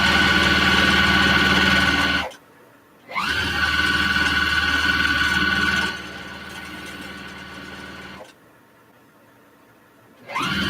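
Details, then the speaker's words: Steady whirring with a thin high squeal over the stitching rhythm, stopping and restarting; quilting sewing machine with six oiling holes is dry and squeaks, fixable with a couple drops of oil and cleaning. "I don't know if you guys can hear it but it's making it squeaks down I can get rid of this week by just a little couple drops of oil"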